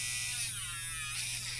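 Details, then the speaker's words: 2015 Range Rover L405 driver door central-lock actuator motor, out of its sealed module and run on the bench: bright steady high-pitched buzz with no grinding or stutter; the motor is healthy and not the fault, contacts suspected. "so it makes sense to investigate something like this in detail the motor sounds good it's not the motor"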